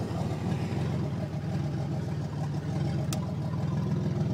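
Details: 1987 Buick Grand National turbo 3.8 at idle: loud, uneven rumble with sharp chuffing pulses; cracked driver-side exhaust crossover pipe nearly blown off before the turbo, runs like on five cylinders and can't build boost.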